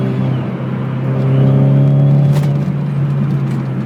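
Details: Nissan SR20 turbo engine pulling with a steady low hum and a thin whine riding over it that rises and holds as boost builds; whine under boost.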